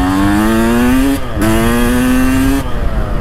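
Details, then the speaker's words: 1992 Kawasaki KX250 two-stroke, previously rough-running, after carburettor cleaning and fresh fuel, test ride: crisp note rising cleanly through each gear without stumbling, dropping smoothly between shifts; runs healthy. "Kuuletteko te, kuinka makosasti tää Kawasaki käy? Siis mitä ihmettä? Viimeksi kun mä ajelin, mä muistelin, että tää oli niin hirveä röpövehje, mutta onko mulla ollut kaasarissa vaan jotain mömmöä tai mönjää?"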